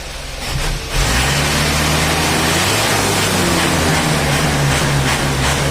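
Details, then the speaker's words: Tuned Isuzu Panther diesel after jet speed tune-up, revving to a strong even high-rev roar, no knocks, misses or rattles; healthy, well-tuned. "ini galak bunyinya guys kalau pantai kayak gini nih karakternya mesti galak meraungnya itu kayak macan"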